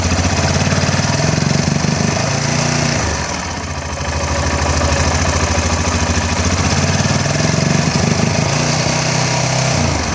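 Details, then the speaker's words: Yamaha XT660 single-cylinder engine misfire, stumbling and dipping at certain revs; adjusting the throttle position sensor moved the misfire about 300 rpm up; cause turned out to be the manifold absolute pressure sensor, not the coil. "so as i'm hoping you can tell as you're actually listening to it that the misfire now with the throttle position has moved about 300 rpm up the right and something like that"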